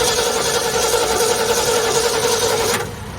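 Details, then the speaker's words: Ford Galaxie with new battery, fuel poured down carb, ignition jumped on: starter turns engine at a steady even beat near four per second but never catches; no spark, the missing ingredient. "yeah there's nobody home so we got no sparks and that's our missing ingredient"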